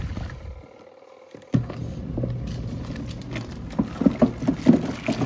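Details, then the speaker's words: Costway Giantex washing machine on a 6-minute wash: irregular hollow clunks a few times a second over the agitator's slosh come from the loose lint filter banging, and the machine is starting to drip. "That clunking is the filter. And you can see already she's starting to drip a little bit."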